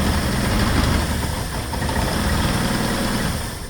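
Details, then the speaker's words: 2009 Saturn Aura 2.4 Ecotec running after the unplugged injector harness was reconnected, but one injector still left unplugged; lumpy, uneven, stumbling idle; misfire from the unplugged injector. "So as you can hear, she is running. Sounds like it's definitely got a misfire."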